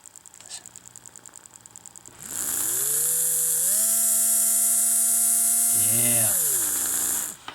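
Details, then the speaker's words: AHM GP18 model locomotive motor after a wash and lube, with the bushing contacts working: after a faint ticking, it spins up to a clean, steady whine that drops away smoothly. Normal running. "listen to that motor look at that can you hear it here how smooth it's"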